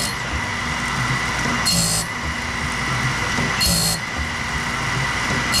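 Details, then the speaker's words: Saw blade sharpening on a BMS 250 sharpener: steady motor hum with a sharp hissing grind burst about every two seconds per tooth, the deepest acceptable grind, gullets cleaned of dye; normal. "on you hear the sound that's that's pretty much as aggressive as I want to be on it"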